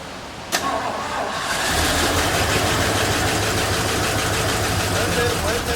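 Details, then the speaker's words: 1972 Mercury Montego MX, about 90 degrees out: a click as the starter engages, then steady even cranking for several seconds that never catches; crank, no start, owner suspects no fuel reaching the carburetor. "I think we're gonna have to make sure we got fuel coming up to the carburetor."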